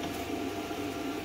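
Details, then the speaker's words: Hynade PLC-50DP pilot-arc plasma cutter, post-flow set to about eight seconds (adjustable 2–20 s); steady, even rush of air with a faint hum after the cut, no sputter: normal post-flow air. "seems just fine and you can hear the post air going i've got it set on about eight seconds right now it's adjustable from two seconds to 20 seconds"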